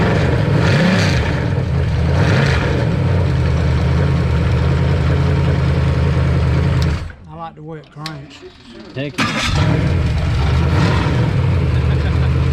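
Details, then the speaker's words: New 410 ci Ford Windsor stroker small-block for a Mach 1 Mustang, started on a run stand with a 650 double-pumper carburetor: it cranks, stumbles briefly, catches, then settles into a strong, even V8 rumble. Normal start and healthy idle. "that sounds good that runs way better than it's ever run"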